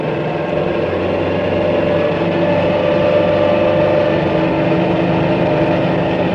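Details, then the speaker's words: Model high-speed propeller running under unavoidable supercavitating conditions, cavities springing from leading edge enveloping blades: loud steady rushing roar with even hiss, no knocks. "here is a propeller designed to perform well at very high speed where cavitation is unavoidable this type of propeller operates under super cavitating conditions"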